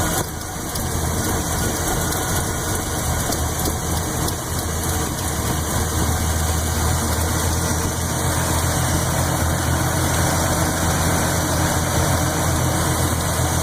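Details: Chevy 400 V8 (10.5:1, Performer RPM heads and intake, Lunati Voodoo cam 233/241) at deep steady idle: quick lifter tick on the even-side bank. It grows louder as rpm drops from 900 to 500. Lifters were rechecked twice and barely needed adjustment.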